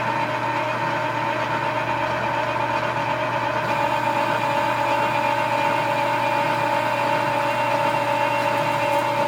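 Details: Lathe with dual belt drive through the gearbox, roughing a spring perch sleeve: steady drive hum with a faint rubbing drone while the tool bites; worn drive belts rubbing under load, not tool chatter; belts need repair.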